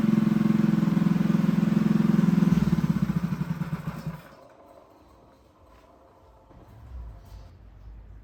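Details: Freshly built Honda GX200 clone go-kart engine clamped to a table: fires on choke, chugs about three and a half beats a second, fades and stalls within four seconds; starved lean, needs re-jetting.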